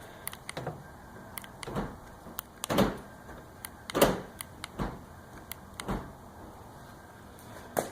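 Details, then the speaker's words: 2004 Honda Odyssey driver's-side power door lock after the multiplexer jumper-wire solder fix: a few soft, uneven thunks as the lock cycles, moving weakly; it works only intermittently and not reliably. Cause unconfirmed. "Yeah, isn't that interesting? It's still not working as good as I would like. Isn't that a bummer? Well, it's kind of working."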